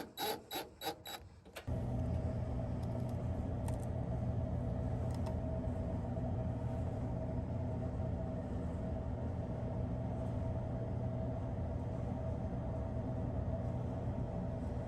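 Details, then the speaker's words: Samsung DVE50R5400W/A3 dryer after not-heating repair and reassembly: a few clicks, then steady, even low drum rumble with no scraping or thumping; runs normally and heats nicely. "it's good guys nice and hot thanks for watching"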